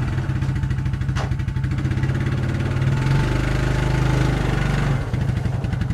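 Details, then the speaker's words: 1994 Suzuki QuadRunner 250 4x4 ATV, single-cylinder, brought back after years sitting with a rebuilt carb, cold start on a jumper box because the battery is flat, idling to warm the oil before an oil change; even thump, brief rise, clean idle. "see the battery is not charged so i'm running the jumper box on it i'm gonna let it idle for now and warm up the oil so it's easier to drain"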